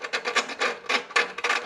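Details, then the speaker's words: Snapper mower engine that failed leak-down test: lapping the intake valve with coarse compound, short gritty back-and-forth rasping strokes, a mild even grind as the valve seats properly. "kind of a grind but you want to get a nice even fit and I always keep spinning it while I bring it out"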